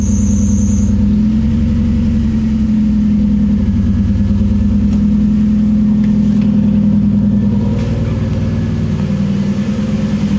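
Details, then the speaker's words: Supercharged KA-swapped Nissan 240SX after converting from a Ford wasted-spark system to sequential coil-on-plug ignition: catches and settles into a steady, even idle with a smooth hum, no misfire or stumble. It started like it always did. Normal idle. "everything's shaking yeah it started up like like everything was as it always was"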